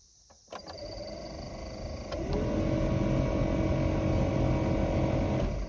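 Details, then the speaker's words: 1990 OBS Chevy truck, HVAC blower motor before replacement: steady whirring whine stepping higher at a faster setting with a rough hum underneath; worn blower motor noise. "oh yeah she's making a little bit of noise"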